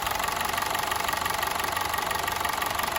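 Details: Honda City on CNG, before repair, stumbling on gas: uneven, slightly lumpy idle pulse about three times a second; misfire from faulty ignition coils.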